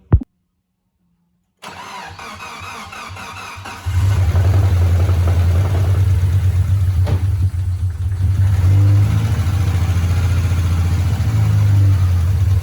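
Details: Mitsubishi Lancer Evolution 4 first start after sump removal and timing belt change, fresh oil: short crank, catches cleanly, settles to steady even idle, no ticking or tapping, no leaks; healthy start and idle.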